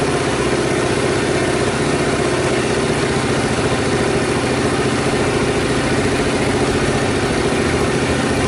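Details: Reassembled Honda Super Cub single, after earlier odd noises blamed on the cam-chain tensioner: it thumps along at an even, steady idle with no rattle or chain slap, and no strange noises are now heard.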